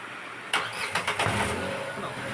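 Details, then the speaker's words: Renault Kwid, underbody hit a stone, silencer pushed against the body: engine catches on restart, then sharp metallic knocks as it shakes, exhaust striking the body; clatter on start-up and gear changes. "കല്ലിൽ കയറിയപ്പോൾ ഈ സൈലൻസറിൽ വന്നു മുട്ടിയിട്ട് നേരെ silencer ബോഡിയിൽ വന്നിട്ട് touch ആയിരിക്കുന്ന ഒരു അവസരമാണ് ഇപ്പൊ കാണുന്നത്"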